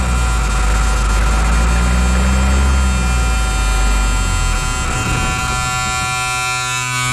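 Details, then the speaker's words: M35A2 military truck 148 after sitting long, cranked without ether, clean fuel and tank: starter turns diesel at steady rhythm for seconds, never catches; no fuel reaching injection pump, owner suspects air in system; crank no-start. "well that's a little bit of a bummer uh 148 won't start it's not getting fuel I checked the fuel line no fuel even getting to the uh uh injection pump"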